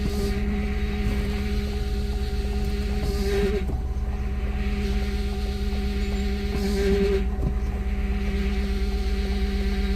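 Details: Free four-wheel-drive rig with under 100,000 miles, engine running while brakes are pumped: steady whine that rises and wavers in bursts; power steering pump whining from very low fluid.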